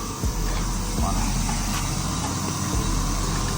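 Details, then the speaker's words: 100B plasma cutter in for repair, no output, intermittent per owner: only steady rush of air from the torch, no pilot arc crackle. Air flows but no ignition (no pilot arc) and no cutting output. "Havo o'lyapti. Ko'rgan bo'lsak, lisensionni o'zini podjiga bor, podjig yo'q. Chaqmayapti, lekin ham effekt yo'q hech qanaqasiga."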